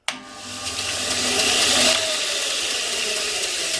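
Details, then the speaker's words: Bench grinder with newly fitted linisher belt attachment, first start and full-speed run: motor spins up to even whirr with steady belt hiss, no flapping or slapping, belt tracks smoothly; running normally. "Wow, it's looking pretty good, isn't it? All right, full bore now."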